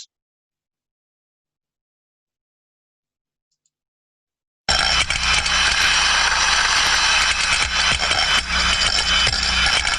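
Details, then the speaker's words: Free float steam trap heard via ultrasound: after a silent start, steady constant turbulence hiss with light metallic rattles from the floating ball, indicating normal operation. "so we can hear that we can hear that rattling around off the of the ball flow inside it's a free float trap and behind that we can hear that turbulence and it's always there slightly up and down as we hear it going on"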